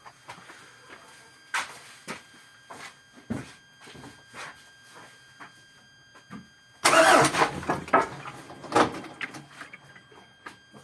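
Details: Cold engine with sharp, spaced knocks about twice a second that grow busier once it fires up; owner suspects piston knock, unconfirmed.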